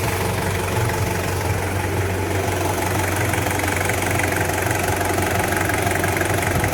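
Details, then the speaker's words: Toyota Surf with 1KZ-TE diesel, after an overhaul for piston knock (one cylinder scored, loose piston): warm idle, smooth and even with a steady low drone and no knock. "ну так сейчас работает машина после ремонта сейчас она немножко уже тепленькая прогретая запустили тахометр но здесь не работает по каким-то причинам теперь слышно чтобы не стучит"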